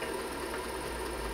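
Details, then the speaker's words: IBM PC 5150 hard drive during a diagnostic random seek test: busy, rapid chattering of head seeks with a squeaky edge over a steady whir; the drive works, but its seeks sound noisy. "I love that sound it's very squeaky uh head select"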